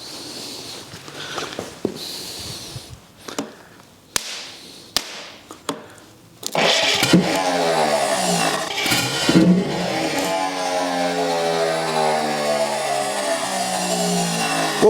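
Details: Rebuilt engine of the U23 "Old Rusty" on its first start in 25 years. Scattered clicks, then a rough, uneven run with sharp pops as it fires. It is backfiring on start; the cause is not confirmed.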